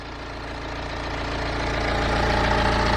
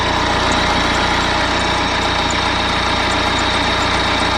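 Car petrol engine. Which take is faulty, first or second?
second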